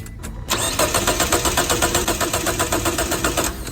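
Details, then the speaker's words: Car that won't start even after throttle valve cleaning, new spark plugs and ignition coils, and cleaned fuel lines and pump: starter churns steadily about four beats a second for three seconds and never catches. Crank, no start, cause unknown. "did you see it this car can't start no matter what do you know the reason"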